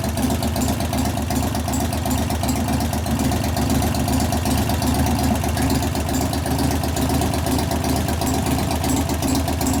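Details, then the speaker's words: 1988 Harley FXR V-twin idling while warming: a light, regular ticking knock over the lumpy beat from a rear lifter not pumping up. Confirmed as the lifter, not the valvetrain, after a pushrod adjustment. Hydraulic lifter knock. "so it's definitely lifters the lifter is not pumping up like it should it's definitely not working but it's definitely not a valve trainer issue it's in the lifter"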